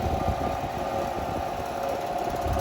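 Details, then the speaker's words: 1960s Superior Electric 8" desk fan model 803C, 120V 60Hz 50W single-speed shaded-pole motor, before restoration: loud rattling buzz with uneven shaking knocks, fan dancing around; part of the rattle is the blades, half the dry bearings needing oil. "it shakes like there's no tomorrow all right it's actually dancing around too so the bearings do need to be oiled um part of the rattle is the blades the other half is the bearing"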